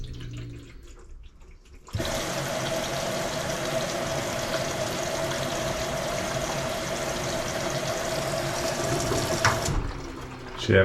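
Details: LG WM2301 front-load washer after inlet valve replacement, test run: valve clicks open, about eight seconds of strong steady cold water rush, then clean shutoff; cold fill working normally.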